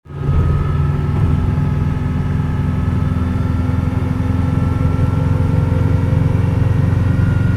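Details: 2003 Subaru WRX: thin steady whine over road and engine rumble at 50+ mph, only when accelerating, pitch rising as the car pulls; owner suspects a bad pulley or wheel bearing.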